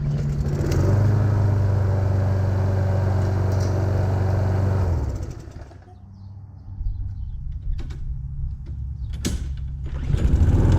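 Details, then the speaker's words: Free Craftsman push mower, small single-cylinder engine, running without an air filter; even, steady low drone for several seconds then shuts off, sounding healthy: normal running. "man that sounds good that sounds healthy now all we need is an air filter for it"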